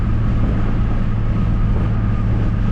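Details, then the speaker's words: Car, engine heard as a V8, driving about 20 miles outside Fort Wayne after a bad tank of E85 fouled its spark plugs: a deep, heavy drone under load with an uneven, lumpy undertone, running on only three or four cylinders from a multi-cylinder misfire. "I think that what happened is we killed a couple two or three spark plugs. I don't know if you can hear it in the video. The car is basically running on like three or four cylinders."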